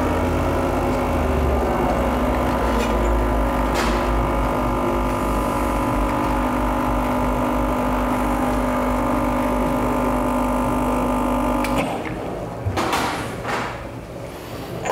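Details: New Rocket Espresso Stone espresso machine, first test shot right after unpacking: a steady low vibration-pump buzz holds about twelve seconds during the shot, then stops; pump running evenly and sounds fine.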